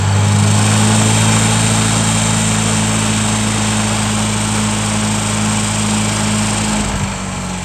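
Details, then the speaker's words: Tractor driving a homemade PTO sprayer pump in cold weather, regulator backed out near 25 PSI: steady drone and low hum easing down as RPM is reduced; pressure fluctuates slightly with RPM, pump load carried smoothly. "So adjusting the RPM, it does fluctuate the pressure a little bit."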